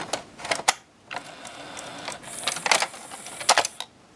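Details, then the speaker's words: Pioneer six-disc CD changer, microphone moved close to the mechanism: quiet clicks and short buzzing bursts of the pickup searching, no steady disc spin; owner unsure whether it's no spin or no focus lock, later traced to missing focusing lens on laser. "I I think it's not achieving Focus lock but also it wasn't spinning so I'm not really sure what to think if it's not spinning or if it's not achieving Focus lock"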